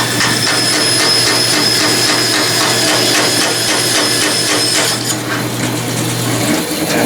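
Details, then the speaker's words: Saw blade cutting metal stock with kerosene lubricant during a horizontal steam engine build: a steady rasp with a repeating thump about twice a second, where teeth are missing from the blade. "that didn't take long, but you can hear the thumping where there are teeth missing from the blade."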